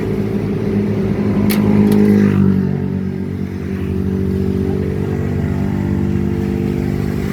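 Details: Fuso 4D30 diesel idling: steady hum with a rough rattling note from the belt drive, a tensioner pulley with failed, crushed bearings, alongside a burning fan belt smell.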